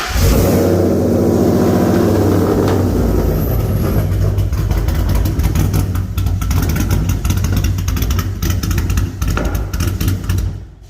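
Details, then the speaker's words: SVT Lightning V8, likely on E85, ported supercharger, new-build motor, cold air intake, long-tube headers, no aftermarket cam: lumpy, choppy idle that sounds cammed; idle misfire, possibly from wiring cut inside the engine bay. "it kind of has some misfires and kind of stuff but there's a lot of wires here that are uh cut in on the inside too"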